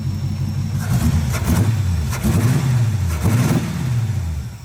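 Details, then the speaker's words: Small-block Chevy V8 in an El Camino that bogs on acceleration, after idle screws set three half-turns out: revs blip three times with a sharp pop on throttle, carburetor backfire from over-advanced timing; timing backed to about 5–6 cured it. "oh yeah that's already a little bit better oh a little bit of a backfire there though I'm gonna move it back to about five five to six on the timing"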